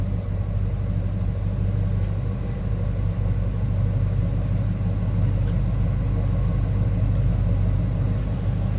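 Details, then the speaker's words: 1979 Chevrolet Camaro Z28, matching-number 350 V8, believed original 58,820 miles, heard from rear at exhaust: deep even burble, steady rumble without misses or knocks; normal idle. "Ooh, nice sounding car."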